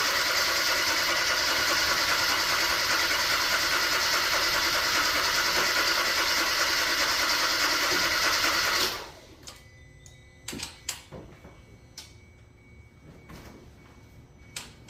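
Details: Kia with catalyst efficiency, glow relay and knock sensor codes, revved under throttle: harsh engine noise with fast, even ticking around 200 a minute, then cuts off; knock present, cause not pinned down.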